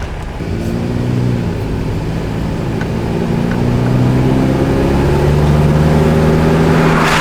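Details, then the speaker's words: Toyota Tacoma on a road test, warming up after ECU reset: engine pulls smoothly, pitch climbing evenly with speed, no knocks or odd noises, earlier noise not heard yet; normal running. "All right, it seems to be running pretty good."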